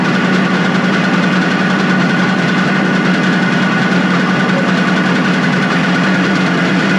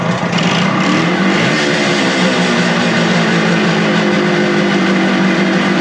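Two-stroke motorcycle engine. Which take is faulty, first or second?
first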